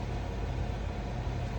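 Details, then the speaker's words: Running blower motor in a Carrier heating unit on a heat call, cover off: steady heavy low rumble with a rough, uneven edge, typical of a worn motor bearing; wood shim fitted temporarily against the shaking while a new blower motor is ordered. "Man, that fan motor sounds hideous."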